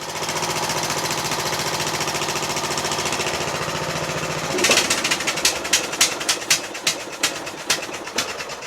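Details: Yard Machines MTD lawn tractor repowered with a Toro 12.5hp Briggs flathead single-cylinder, safety switches bypassed, new fuel line and filter. Even, rapid chug running steady for several seconds, then shut off and coasting down with slowing clatters; normal running.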